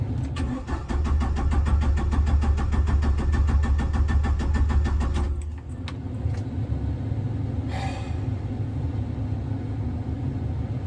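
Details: 1997 Jeep Wrangler TJ 2.5L four-cylinder, manual, ~204,300 miles, after remanufactured PCM install: steady five-second cranking that never catches; cranks, no start.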